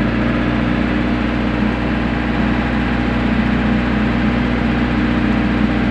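Steady, even diesel drone with a low hum and no misses, knocks or hunting; the generator is idling smoothly.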